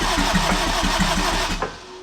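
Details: Turbo AWD Acura RSX (DC5) on a standalone ECU, starter jumpered, fuel smell: starter churns in a quick even rhythm about 1.5 seconds then stops, never catches; crank no start.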